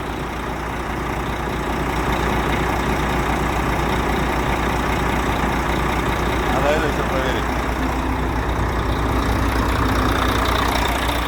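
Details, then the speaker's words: Volvo FH13 truck diesel after engine knock repair: smooth, steady idle with even low rumble, knock gone, engine sounds healthy. "Ну, звук ушел. Ушел."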